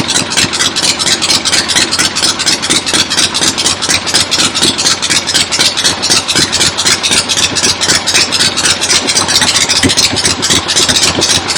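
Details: 1975 Harley XLH Ironhead Sportster V-twin, fresh rebuild, first start outdoors on a temporary lawnmower gas tank: loud steady lumpy beat about four pulses a second, crisp exhaust bark, even; oil return established, oil pump working, normal idle.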